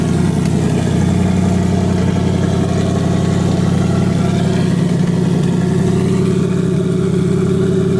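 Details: 2018 Mustang GT V8 at idle, nearly warmed up: steady, even idle with a light tick faintly standing out every couple of seconds; loud engine tick, cause not pinned down.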